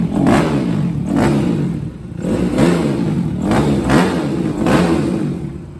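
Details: 2006 Suzuki RM-Z250 single-cylinder after new OEM timing chain, valve adjustment, carb clean and air screw tune-up: blipped through about five clean revs and back to idle, crisp and even, no rattle or misses; running right.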